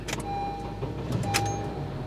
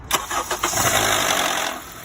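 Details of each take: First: 2011–2012 Honda CR-V K-series 4-cylinder after VTC actuator replacement for cold-start rattle: engine catches and settles straight into a smooth, quiet idle with no startup rattle; normal cold start. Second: 2011 Honda CR-V K-series four-cylinder, cold morning start: brief cranking then a harsh metallic rattle lasting about a second before settling to idle, typical failing VTC actuator, to be replaced.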